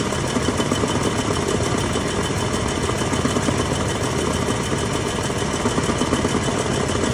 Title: 4L30E noise at idle